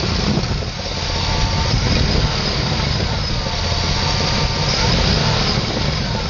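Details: LT1 V8 idling with a fast, rough ticking puff of about four per second over the rumble, from the engine bay. It has sounded like this since purchase, and an exhaust leak is suspected.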